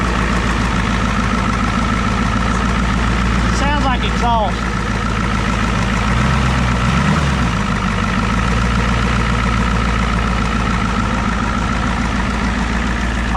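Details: 1988 Ford rollback diesel truck that sat about ten years: loud, steady idle holding a constant beat without dying or hunting; running on its own again.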